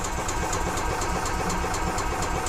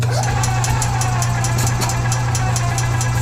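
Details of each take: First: 2015 EZGO Express S4 gas golf cart, sat over winter, cranks but won't start; carburetor cleaned, cranking to check for fuel; fuel looks milky with water in the carburetor. Starter turns the engine evenly, about four beats a second, never catching. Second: 2015 EZGO Express S4 gas golf cart, crank-no-start from water in the carburetor after sitting over winter, fuel filter added. After the repair the engine starts without choke and idles smoothly: a steady low drone with light, even ticking and no misses. Normal idle.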